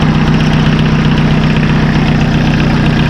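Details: Massey Ferguson Super Pony tractor diesel after a spi (oil) seal and timing repair: a steady, even chug at about four pulses a second, no knocks or misses. The spi seal isn't leaking; the rocker cover gasket leaked. Normal diesel idle.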